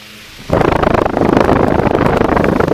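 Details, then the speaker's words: Revived late-1920s Victor Jr fan, oscillating, motor still relatively cool: steady, even rush of air with no hum, ticking or grinding underneath; no motor or bearing noise. Normal fan run. "I am amazed amazed at how well this thing runs no motor noise or bearing noise yet the motor is still relatively cool"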